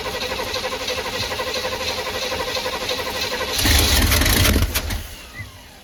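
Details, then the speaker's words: 1985/1986 Chevy Hi-Cube van, revival attempt fed from a boat tank with an electric fuel pump: steady cranking that catches briefly then dies; the pump filled the carburetor but fuel isn't getting through, apparently plugged, so it won't keep running. "Fuel pump is filled the carburetor too, and it does not appear to be working from there. Yeah, this thing just is plugged."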